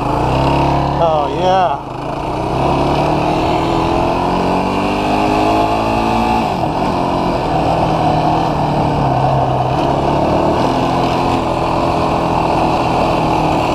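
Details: New 2016 Yamaha YFZ450R SE with factory low-rpm bog, after throttle position sensor adjusted to 0.81 for richer fueling: engine pulls cleanly as revs climb and settle, no stumble or hesitation; normal running.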